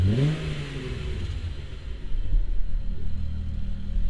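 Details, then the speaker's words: MK3 Jetta GLX 12v VR6, around its oil change: deep, smooth rumble climbing cleanly on throttle with no knocks or rattles, a healthy VR6 revving. "It sounds so freaking good. You literally cannot beat the sound of a VR."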